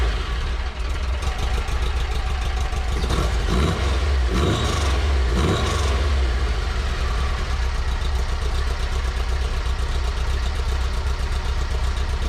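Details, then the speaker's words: VW Baja 2054cc air-cooled flat-four idling with a couple of quick revs after adding a Thrush turbo muffler and mandrel-bent tubing to the loud Tri-Mil Sidewinder side-exit exhaust; note deep but subdued, by ear cut about two-thirds, still decent tone — normal idle. "I don't know how much quieter that shows on the decibel meter, but I can tell you by ear, oh, that's cut down 2/3. It still seems to have a decent tone."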